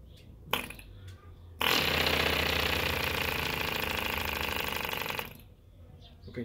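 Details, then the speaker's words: Mills 1.3cc model diesel engine, ether-castor-paraffin fuel with 2% MEKP, being started: bursts into rough, uneven buzzing for a few seconds then dies, propeller surging because it's flooded; compression screw opened a quarter turn. "que vimos, ese vaivén del hélice lo hace porque está ahogando."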